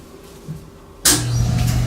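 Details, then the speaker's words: RV Asko clothes dryer that wouldn't start, fixed after fuses, reset button and a faulty fuse holder: a second of quiet, then steady low motor hum and tumbling rush as it starts and runs normally. "so I'll go check outside but I suspect the flapper is open and it's going outside now so we're outside and the dryers running there's the vent for the dryer"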